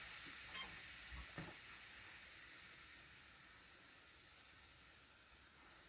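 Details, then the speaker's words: Old abandoned CAT excavator just started after months, rebuilt hydraulic pump fitted: a sharp steady hiss that slowly fades, with no engine rhythm under it, from a rubber hose in the braking system that let go. "that big hiss that we may have heard is [Music] this pipe here which seems to be it's just a rubber pipe as part of the um breaking system"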